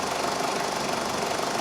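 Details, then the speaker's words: 2000 Ford Focus 2.0 SOHC with P0302 misfire, stumbling and dying at idle: fast, even, crisp injector clicking heard over the running engine shows the computer is opening and closing the injector normally. "pintle firing it means being controlled by the computer and he's opening and closing"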